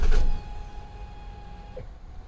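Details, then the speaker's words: 2008 Nissan Quest 3.5L crank-no-start with codes U1000 and P0726: a short burst of cranking, then a thin, steady, very loud high whine from the fuel pump; fuel pressure and volume still to be checked. "pump is loud do you guys hear that super super loud let's check fuel on this"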